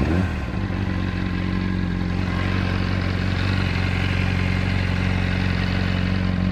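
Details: Honda 600RR at idle, cam chain tensioner replaced with APE manual unit and cam chain replaced, pulling clutch does not change noise: steady metallic clatter about three taps a second over constant idle, source unknown.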